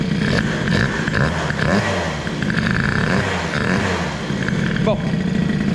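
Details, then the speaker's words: Peugeot 103 moped with a new Stage6 65cc cylinder and Boost head, first run: crisp two-stroke buzz rising and falling with the throttle, clean pickup, no pinging or rattle, variator beginning to open. "alors je remarque que le variateur commence à s'ouvrir un petit [Musique] peu il y a pas de bruit de poau impeccable c'est propre"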